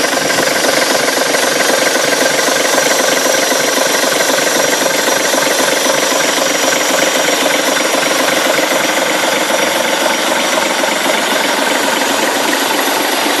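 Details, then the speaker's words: Leyland diesel engine in a Ribble BD-2 recovery truck, first run after many years standing with chassis, gearbox and front axle back in; even clatter at steady idle, about four beats a second, no misses or knocks, very little smoke; normal healthy idle. "starting to let you hear the sound of this engine how beautiful it is back a long long time many years without running you can see very little smoke come off the engine"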